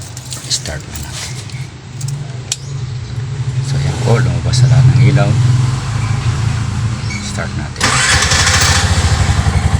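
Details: Bajaj RE trike with a no-start problem, after a DIY fix: after some fumbling and cranking the engine catches near the end and settles into an even, throbbing idle, so the trike now starts.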